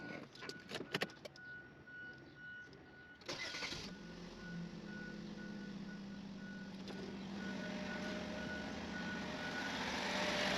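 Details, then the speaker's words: 2009 Chevrolet Malibu after serpentine belt tensioner and belt replacement: a few clicks, then the engine cranks, catches and settles into a smooth idle with no squeal. "Alright, no squeaking. Dang, that sounds good too."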